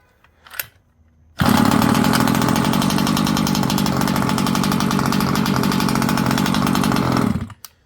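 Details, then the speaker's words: Rovan Baja 5b 1/5-scale RC two-stroke after idle screw adjustment, 30.5 setting kept: fires up and settles into a steady, even buzzing idle without stumbling or surging; normal idle. "So as you can see, we got it started. Sounds good, idling well. I'm happy with it."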